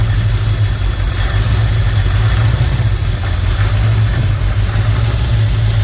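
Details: 1964 Ford Thunderbird V8 after a top-end rebuild and a repaired spark plug wire: once briefly run, the lifters have pumped up; a deep, even idle with no ticking, now smooth.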